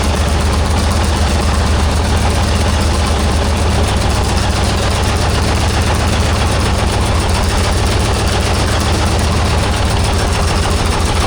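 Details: 1944 Cleveland 3-268A two-stroke diesel, first run after fuel filter housing rebuild and priming: deep, heavy thrum settling into a steady, even beat after catching; running cleanly with no misses.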